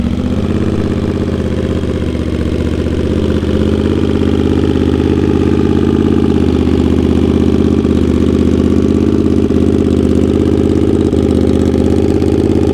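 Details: Honda GL650 at its first start after a full rewire: loud, steady throbbing exhaust beat at an even idle, with no ticks, knocks or hunting. Crossover headers run into a merge and Cone Engineering muffler. Normal idle.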